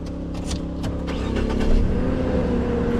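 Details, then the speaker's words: 2009 Saab 9-7X no-start after PCM replacement and programming, connector depinned to isolate a faulty switch or trunk module on the network: short rough crank, then catches and settles into a steady, even idle; starts cleanly. "All right. And it starts."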